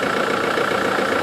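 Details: Land Rover Defender diesel after a turbo failure with a bang and whooshing, with a new oil filter, filter housing and sump plug fitted: steady, even diesel idle with smooth clatter and no knocking, whistling or hunting; normal.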